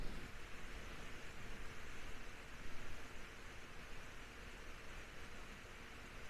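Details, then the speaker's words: Remote-controlled household fan after cleaning blades, gluing a cracked blade with UV resin and re-oiling bearings: soft, even airy hiss with no rubbing, clicking or rattle; sounds quieter than before (about 62 dB on speed 1), though it still shakes. "But I do think that it sounds quieter. If it actually is quieter, I don't know. But it's back to sounding quieter."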